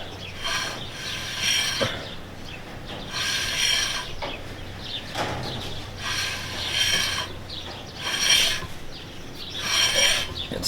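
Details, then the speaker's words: 2008 Honda Accord two-door coupe, high miles, sticking brake: dry scrape about every two and a half seconds, once per wheel turn, brake dragging at one spot; owner suspects dirt or oil in it or a bad, warped rotor. "yes it's getting better still sticking mmm to me it looks like some dirt or something oil or some something's in there and it's neat shoes I like it's gonna last I don't know it's still sticking the rotor must be bad - and warped"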